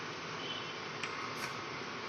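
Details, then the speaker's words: Canon 2010-model printer: after power-on and reaching the ready position, a steady gritty whirring comes from inside. The technician suspects debris or something stuck on the gear side; the unit needs disassembly to find it. "यहां पे या तो कुछ फंसा हुआ है या कुछ कचरा वचरा आ गया है गियर साइड में।"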